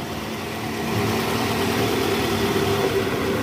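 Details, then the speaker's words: Toyota Alphard ANH20 2009, 95,000 km, started after balancer shaft replacement (worn shaft had made a rough engine sound at startup), battery weak: steady smooth low idle hum with no knocks or rattles. Normal idle. "Oke suara mesinnya halus ya guys"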